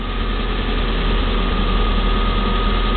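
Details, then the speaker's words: Peugeot 1007 petrol engine with about 1000 L/h of HHO gas fed into the intake manifold: steady idle hum at a slightly raised speed, lifted by hydrogen without throttle; cutting the supply drops rpm with brief unstable running until the ECU corrects the mix. "Ponovo se uključuje ubacivanje vodonika. Auto dobija obrtaje zato što dobija mnogo više energije ubacivanjem vodonika."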